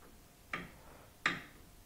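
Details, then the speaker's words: Three sharp metallic knocks about 0.7 seconds apart as a loose sway bar drop link is rocked by hand, picked up by a piezo sensor clipped to the anti-roll bar: the suspension knocking noise. "there's our suspension knocking noise"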